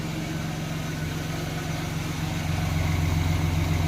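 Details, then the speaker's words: 1990 Chevrolet Lumina Eurosport 3.1 V6, long-sat and earlier misfiring, now running on fresh gas with fuel treatment. It idles smooth and even at about three to four beats a second, running on all six; temperature is okay and oil pressure good. "sounds better running on all six seems to be what are we doing on temperature doing okay so far no chickens and light on idling pretty good"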